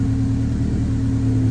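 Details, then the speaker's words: 1998 Honda Civic, check engine light, misses under acceleration, after clearing codes: low engine drone with faint unevenness at idle; rough idle, MAP reading about 11–12, owner suspects MAP sensor or timing. "Hear how rough that was? I don't like it. Live data says map sensor showing about 11, 12,"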